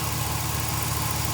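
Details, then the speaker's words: Cateye Chevy truck LS V8 at idle after replacing the lifted cheap exhaust manifold gasket, tightened middle-out: steady even burble with no ticking or puffing, so the exhaust leak was coming from that gasket and is now gone. "as you can tell we don't have an exhaust leak no more so they had to be coming from this gasket"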